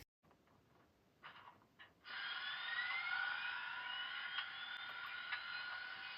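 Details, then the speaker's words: BLI 2025 Big Boy 4014 model locomotive with sound: a steady whir rising in pitch carries a loud, regular motor tick about four times a second; cause unknown, believed common to BLI Big Boys. "but the motor ticking is very loud, and I'm not sure why it has that."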